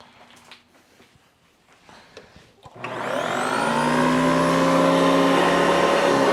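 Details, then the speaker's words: Vintage Hoover Decade 80 upright vacuum, reassembled after repair in which a dry motor bearing was greased: the motor spins up to a smooth, steady whine with no grinding or rattle; normal run, "good enough", expected to improve with use. "oh that sounds good not the best but it's good enough uh that'll probably get better with a little bit of use"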